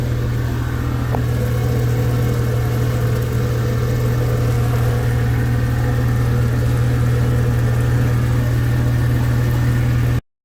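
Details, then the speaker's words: Mercury outboard underway past the no-wake area at about 3,000 rpm in rain, after fuel-system fixes: steady low drone, even pulse about four per second, no surging or cutting out; running smoothly. "okay I just got out past the no wake area and uh I'm only going 3,000 RPMs"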